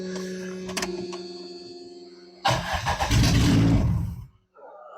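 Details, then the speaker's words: Plymouth Sundance, first start in about 20 years after new fuel tank, pump, lines, battery and a working injector; no belts fitted. A brief crank, then it catches at once and runs rough but steady: a clean first start. "Wow. It immediately came to life. Oh my god. Is it leaking anything? That was hilarious. I did not expect it to start right up."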